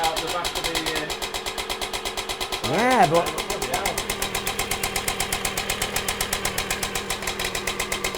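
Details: Aprilia AF1 50 two-stroke, barn find stored about a decade, first start: crisp rapid two-stroke popping holding steady with a blip of revs mid-clip; running cleanly and evenly.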